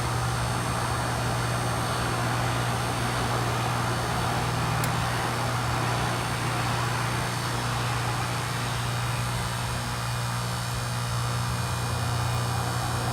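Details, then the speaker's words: 2001 Amana Temp-Assure heat pump outdoor unit with iced, rough coil: steady low compressor hum under a constant hissing whoosh, ice crackling as it melts; full defrost cycle, compressor doesn't sound the happiest. "You can hear crackling from the ice melting. The back is solid. We finally hit the point where it just had to defrost."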